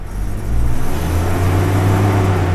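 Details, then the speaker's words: Toyota Innova before MAF replacement: engine sputters unevenly (brebet) and under throttle rpm climbs little, won't exceed 3,000; faulty airflow (MAF) sensor suspected. "ini ee agak merebeterebet merebet mbet gitu Terus kalau kita gas itu enggak mau rpm-nya naik"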